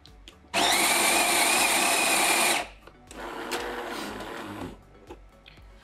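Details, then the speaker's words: Jura A7 coffee machine after repairing a cracked brew unit (error 8), brewing a 70 ml espresso: two seconds of loud even grinding, then a steady pump hum that eases off. Brews nicely; normal brew cycle. "Well, it brews nicely, this Espresso. Listen slowly, without rushing, these 25 Italian seconds from the book."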